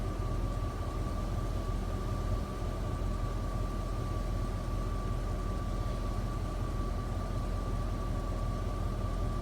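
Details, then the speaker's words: 1999 Jeep Grand Cherokee WJ 4.7 V8, warm at about 195–196°F with AC off, idles low but stumbles twice. Plugs and injectors are new, no vacuum leaks, throttle body was cleaned; owner suspects a bad power steering pump. "you hear that you see the hiccup no clue why ah ac isn't on"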